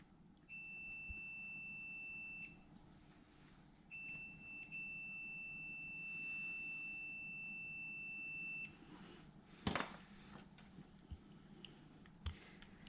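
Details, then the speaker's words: Multimeter continuity check on a new wiring loom for a non-VVTi 1UZ with Link ECU and coil-on-plug conversion: two steady high beeps, so the wires connect through. "some might think I'm crazy running the multimeter across all the wires and doing it this way what do I find as it means that I double check all my connectors that they are all good"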